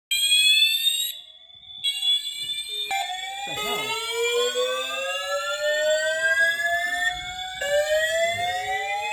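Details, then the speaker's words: Building fire alarm horn sounding its evacuation signal after waking the occupant in the morning; a loud, shrill sweeping tone slides upward and repeats, likened to a duck; the occupant doubts it is a real fire. "Now, this one sounds like a [ __ ] autistic duck, bro. Jesus Christ."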